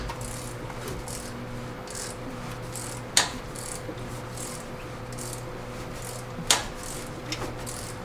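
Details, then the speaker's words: 1977 Toyota SR5 pickup, 20R engine, sitting 10 years, previously ran rough and lost coolant: slow hand cranking with a soft rhythmic scrape and a sharp click about every three seconds; source of internal click unknown. "There's some clicking going on. You guys hear that? What the heck's that for? That don't sound right."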